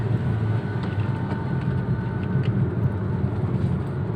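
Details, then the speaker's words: 2014 Toyota Etios Valco after Blackcore tuning, shifted from 2nd straight to 5th at about 40 km/h: low, even engine drone under road rumble with no knocks, surges or whine; pulls smoothly in top gear. "Nah, kerasa beda nggak? Ini gigi 5 kayak gigi 3. Iya. Gigi 5-nya halus banget nih."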